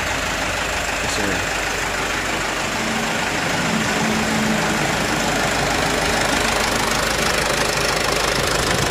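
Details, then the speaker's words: Mitsubishi Canter HDL 136 thermo box diesel truck, previously rough with a shaky idle, after replacing a broken injection pump timer whose fragments entered the oil pan, bearings unscratched: steady, even diesel clatter with no knock or miss. "Semoga selamat sampai tujuan mesinnya waras enggak ada kendala apapun bosku masih tertolong mesinnya ya jadi gak fatal suaranya masih enak"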